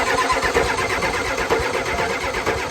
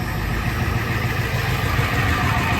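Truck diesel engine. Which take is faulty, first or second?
first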